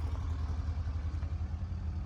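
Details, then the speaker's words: Engine just reassembled and being broken in: a low, even thrum with steady firing pulses and no knocks or rattles on top. Normal, healthy idle. "this one is all back together and running he just laid the I don't trying to break the motor in everything sounds good on it"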